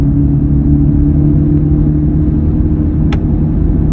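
Under the steady road rumble a constant low drone holds one pitch while driving; an unexplained hum from the truck.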